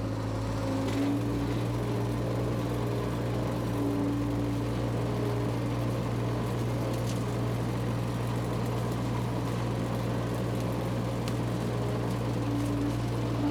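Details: Power Trac 1850 diesel tractor after fluid change, mower engaged: steady even diesel drone with constant low hum, no knocks or misses; normal running under load.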